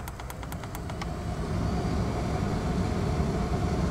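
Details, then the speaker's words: 2001 Corvette C5 after blower motor and auto fan controller replacement (dead mouse found in blower wheel), temp at 70 auto, fan run up: light clicks then smooth, steady air rush; blower healthy. "all right fan motors installed wired up plugged in and we'll test it here real quick so we'll set the temp attempt set at 70 auto i'm going to run the fan motor up you can hear it"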